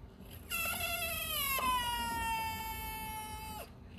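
A single rubbery squeal, about three seconds long, sliding slowly down in pitch: a bad radiator cap venting pressure.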